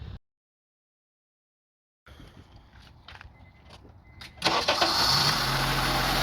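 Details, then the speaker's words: 2002 Honda CR-V 2.4L with rough idle, stalling and surging, during IACV/throttle body diagnosis: the engine catches and runs very badly with an uneven, wavering idle while an intake hole is left open. "Okay, now you can hear the sound, you can hear the engine very bad."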